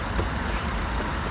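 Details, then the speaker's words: Car cabin while driving after Würth silicone spray on door joints and rubber seals to stop trim crackles: only a low even road rumble, no squeaks or rattles; cabin quiet. "ses kalmadı ama hiçbir şey tamam bu kadar yani"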